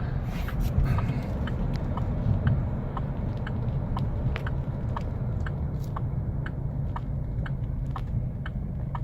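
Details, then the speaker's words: 2009 Chevy Colorado idling with code P0017: deep, uneven idle rumble with a light tick about twice a second, the truck rocking and the gauge needle bouncing. The rough idle comes from a bad cam phaser, after several sensors were replaced. "the truck is moving back and forth and you see the needle bouncing hasn't shut off on me but it is bouncing around it it's a very rough idle"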